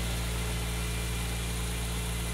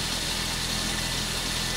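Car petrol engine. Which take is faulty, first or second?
second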